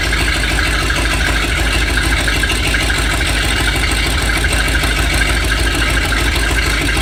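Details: 7600 diesel after repairs: loud idle with an uneven, lumpy beat around three per second, like a cylinder not firing; rough idle with misfire, cause unknown.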